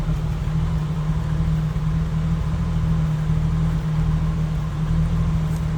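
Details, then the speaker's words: 1986 Jeep CJ7 4x4 with a 4.2-litre inline six, in neutral: a smooth, even low-pitched idle drone with a steady hum and no misfires or ticking; healthy. "sounds like you'd expect. 4.2 liter inline six to sound."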